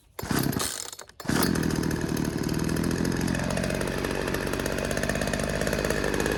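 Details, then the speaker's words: Poulan 2150LX two-stroke chainsaw after new recoil spring, carburetor rebuild, new fuel lines, fresh gas and freed sticking throttle linkage, low and high screws at 1.25 turns: catches after a couple of pulls, settles into even, rapid, steady buzzing run; normal running. "All right, so there you have it, guys. We got the Poulan 2150LX super clean up and running."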